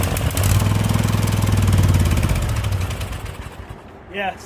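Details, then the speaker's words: Husqvarna lawn tractor with Briggs and Stratton Vanguard V-twin, just got running: engine note rises and falls unevenly, hunting then sagging, a lean surge; carburetor needs to come off. "carburetor is definitely got to come off ah well I don't know if I'm going to do that yeah so the carburetor is got to come off that was obvious right there I don't know why I really don't know why it wouldn't run until it did but that's besides the point because now it does run but you hear the way that it's uh surgin"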